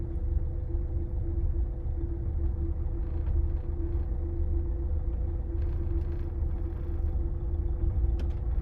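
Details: 2015 Renault Megane 3/Fluence 1.5 dCi diesel driving off throttle, before repair: steady low drone with a constant mid hum over road rumble, caused by the stiff original fuel return hose; the fix is a softer replacement hose.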